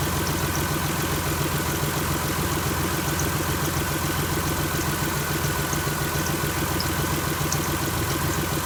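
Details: 2001 Chrysler LHS 3.5L V6, rebuilt without replacing hydraulic lifters, idling just after adding TriboTex oil additive: steady idle with faint light ticking about three or four a second, likely valvetrain/lifter tick, not confirmed.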